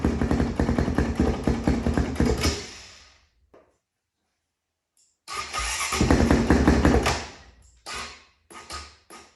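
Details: 2005 Honda CRF450X single-cylinder, stored about 10 years, first start with leaking petcock: barks to life, takes quick throttle blips cleanly, then cuts out and restarts; pulls crisply, healthy, no smoke; later died from running out of gas.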